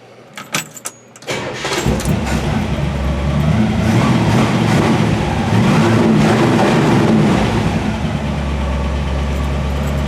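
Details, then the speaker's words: 1963 Impala SS V8, freshly built with new lifters primed in oil, on an OEM fuel pump: it catches and settles into a lumpy idle with a light, fairly steady tick about four a second; one lifter ticking, which the owner thinks is sticky and will loosen up. "and every time I start to sing I hear that lifter"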